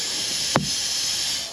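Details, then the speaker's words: Mercedes SK truck with air built up: a constant sharp hiss with a brief knock from a brake air pipe low down, where a pinhole was melted through by welding heat. Air brake line leak. "you probably hear it already but I've developed an air leak down in here"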